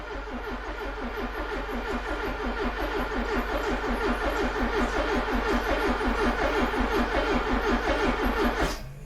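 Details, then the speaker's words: Long-stored classic Porsche, first attempt after connecting a battery: steady rhythmic cranking just under three turns a second, never firing, then stops, a crank-no-start; owner suspects crusty, barely attached leads and unsure the fuel pump primed. "Right. We didn't get anything, but it cranked. That's amazing."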